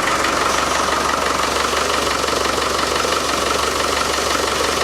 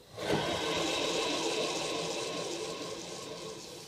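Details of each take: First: Land Rover Defender 110 diesel after front crankshaft seal work, temporary power steering pump fitted, ATF slightly short: steady idle with even light clatter and faint whine, no bearing rumble; normal idle, quieter than before. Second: Land Rover Defender 110, alternator removed during front crankshaft oil seal repair, spun by hand: rough, gritty rushing whir fading as it slows; worn alternator bearings, to be reconditioned with new bearings.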